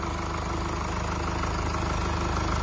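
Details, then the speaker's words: 2017 Mercedes E-Class W212, 654 diesel engine, 153,000 on the clock, just after rocker arm replacement for a knocking noise: even, steady idle with smooth regular clatter, no top-end ticking or knocking; sounds healthy. "as you can see it's running sweet now as you can see it's running very sweet"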